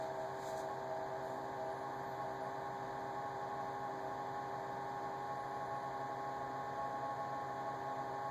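Quiet constant high-pitched whine with a few steady tones over a low hum, unchanging throughout; fridge whining, cause not identified.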